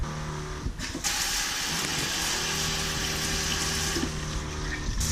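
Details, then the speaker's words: Battery-powered water pump in a DIY Sprinter van water tank install, tank already filled, tap opened: steady low pump hum under rushing water hiss as it primes; pump switches on when pressure drops. Normal pump priming. "Working perfect. You can hear the pump priming. So as soon as you turn it on, it loses pressure, so it turns on."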